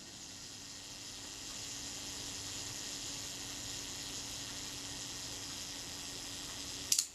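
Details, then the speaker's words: Rolleicord Va camera after shutter reassembly, self-timer set, shutter speed mid-range: quiet even whirring buzz for several seconds as the self-timer runs down, ending in one crisp click as the shutter fires; normal. "Release the shutter. The self timer is running down."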